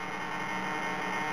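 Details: Hobby King 15298 high-voltage digital coreless aileron servos in a 50cc Sukhoi Su-26 model give a steady electrical hum with a faint high whine while holding still. The noise persists after swapping the Orange R910 receiver for a Spektrum; cause not found.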